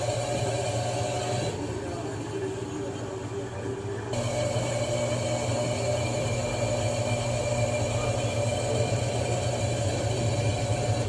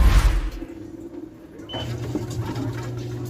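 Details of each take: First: Vocês viram, né, que na centrifugação ela estava fazendo muito barulho. Aqui é uma LTC 10 kg. E o problema, vou mostrar para vocês, está aqui nessa peça. Essa aqui é a bomba bomba de dreno. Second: Electrolux LTC10 10 kg top-load washer after drain pump replacement: spin cycle with only a low steady hum, no grinding or rattling; noise gone, problem solved.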